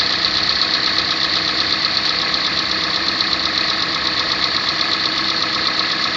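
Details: 2014 Kia Sportage 3 restyling, all-wheel drive, 13,000 mileage: steady light ticking, a bit under three per second, over an even idle; engine knock of unclear cause.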